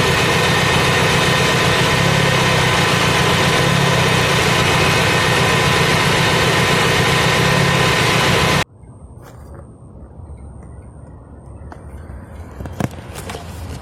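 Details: Fiat Punto at idle, uneven shake of about four pulses a second, then the engine stops. Cylinder 4 is dropping out because its high-voltage plug lead was found leaking with a leak tester, before all four leads were replaced.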